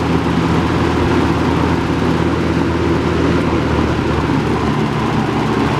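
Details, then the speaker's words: Robeson box fan model 2306, three-speed, 2.4 A motor with surface rust on motor bars, running on high: steady, even rush of air, good airflow, low motor hum, no ticks, rattles or wobble; normal running. "but anyway let's turn it on now it's three speeds and here's high there's a pretty good amount of air"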